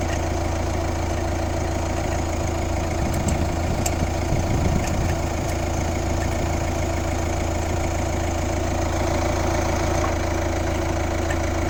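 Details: Kia Ceed 1.6 CRDi 115 hp diesel, D4FB engine: idling with a low steady drone and an uneven repeating knock around three per second; abnormal engine noise, source unclear.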